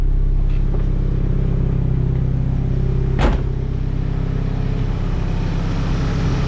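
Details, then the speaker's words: Nissan S15 SR20 with Garrett T28 turbo, first start after replacing the turbo gasket and fitting lock plates to cure a boost and exhaust leak: smooth, even idle with one brief clack, no puffing or ticking; normal idle. "Finally, no more exhaust leak. So, I'm normal again, chill, quiet."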